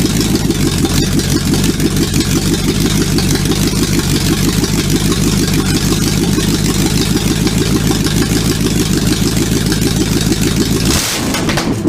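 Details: Supercharged V8 in a 1959 Vespa microcar, first-ever start attempt: low, even rumble holds steady for about eleven seconds, then the engine cuts out; runs smoothly, normal running.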